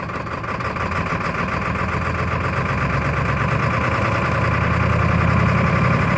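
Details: 1996 Ford F350 7.3L diesel idling with a lumpy, uneven chug and a knocking undertone that never settles; rough idle, cause not yet pinned down.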